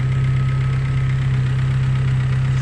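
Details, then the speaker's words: Fiat Tempra petrol engine idling smoothly after repair, steady low hum with no belt squeal or chirp; alternator belt noise was caused by a worn, too-thin alternator pulley, replaced with the old one. "O meu antigo desse alternador aqui ó e funcionou perfeitamente aí ó tem barulho nenhum silencios silencioso galera"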